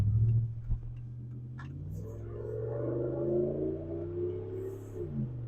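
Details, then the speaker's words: 2008 Ram 1500 V8 after replacing the throttle position sensor to cure throttle hesitation: smooth note climbing steadily in pitch under a full-throttle pull, no stumble or hesitation; responsive again. "Oh, listen. Like, it's it's very responsive now. Let me see if I could do a quick pull right here."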